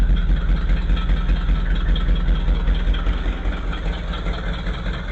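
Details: 1959 Ford Thunderbird V8 with a no-start that cuts out, after tracing a failing resistor feeding the coil: a deep, steady V8 burble at about two and a half pulses a second, even and unbroken; a normal idle, though it won't stay running.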